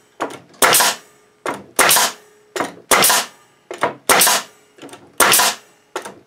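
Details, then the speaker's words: Bostitch N75C-1 nail gun on a Makita MAC2400 compressor, regulator at 100 psi, tank full at 130 psi: crisp bangs about once a second, each followed by a short air hiss; nailer fires cleanly, compressor keeps up. "okay guys that's what I wanted to see yeah she works really nice and it pumps that pressure up real fast pretty impressed with this unit"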